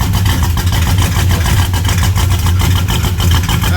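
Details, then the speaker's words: Engine-swapped 1975 Plymouth Roadrunner with Chrysler engine, just fired right up on the key: strong, even low rumble with steady firing beat and no skips or knocks; normal healthy idle. "the sound of reliability. That's the sound of 1975 Chrysler fuel crunch."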